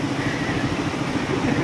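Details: Raider 150 small single after mechanic's engine work including valve clearance set with feeler gauge: brief even putter with no ticking or tapping; engine sounds settled and healthy.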